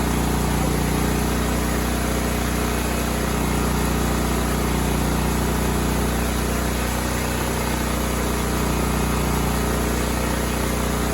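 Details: Cub Cadet 2166 mower, 16hp horizontal Kohler Command single-cylinder engine, running after a new fuel pump and a replaced brake spring switch activator. It needed priming, then held a steady, even low thrum with no misses or knocks. Normal running.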